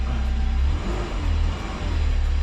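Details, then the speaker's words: JDM turbo van, 5-speed, full-time four-wheel drive, 98,000 km: deep, steady low rumble with smooth rev swells, no knocks or misses, sounding like a big diesel; healthy engine. "wow it sounds like a big diesel engine it's so good"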